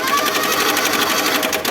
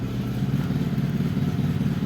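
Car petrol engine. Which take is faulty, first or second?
first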